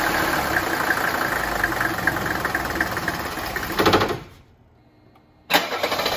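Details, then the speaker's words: 1985 Mercedes 300 turbo diesel wagon, five-cylinder, cold after sitting overnight, before repair: starts, runs a few seconds, dies and is recranked, repeating until warm; fine when hot; worn lift pump check valves starving fuel. "When the engine is cold, when this five-cylinder turbo diesel engine has sat overnight without running, and you get in the car to start it, it will start up and quit. And you do it again, it will start up and quit."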